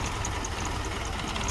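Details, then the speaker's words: Car engine vibrating and shaking violently at idle; uneven, lumpy idle with a shaky low pulse and irregular beat; scan shows camshaft position sensor code, which can cause multiple cylinder misfire; heater control circuit bank 1 code judged not the cause. "The heater control circuit cannot contribute to this kind of problem, but this guy can. It can create a multiple cylinder misfire, a whole lot of different issues."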